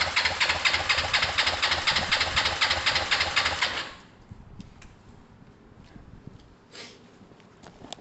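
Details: Kawasaki ER5 twin after valve clearances and timing set, idle possibly high; lumpy uneven chugging about four pulses a second before cutting out, rough running, one cylinder suspected not firing.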